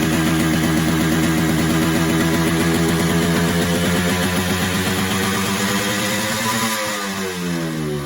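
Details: 1979 Yamaha RX 125 two-stroke cafe racer build: fast, steady buzz well above normal tickover, easing only slightly near the end. Idle is set too high and it smells of fuel. Cause suspected, not confirmed.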